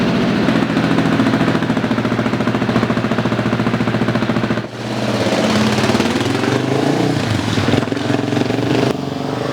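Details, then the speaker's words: Husqvarna 701 single after a Tune Logic USA tune, just started and left to fully warm up before riding: a steady, even thump settling into a fast warm-up idle, no misses or knocking. Normal warm-up idle. "So, before I uh get on the gas or anything like that, I'm going to let it completely warm up."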